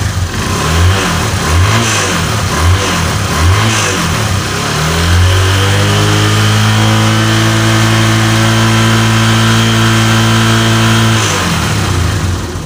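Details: Honda Verza 150 after a top set piston kit replacement; it had run out of oil and sounded rough from a worn piston. A few quick blips, then a smooth high rev held steady with no knock or rattle. Normal after repair.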